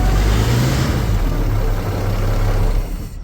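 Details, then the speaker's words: Marine flathead in a 1956 Century Restorer boat, first run after years sitting in a field, fuel from a jerry can, hose cooling hooked up: deep even exhaust rumble with a brief rev dying away cleanly, no knocks or misfires; normal running. "that's about all we're going to let it run for we have it hooked up cooling but uh it seems to be running pretty good we don't seem to have any major issues with it"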